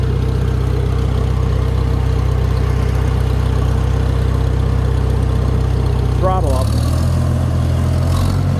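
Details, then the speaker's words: Farmall tractor, after checking the filter canister for leaks: deep, even thrum at idle, then a clean change in engine speed without stumbling; runs well. "sounds really good man and when they don't run good in their mine I say they don't run good so I'm not just saying that cuz it's mine"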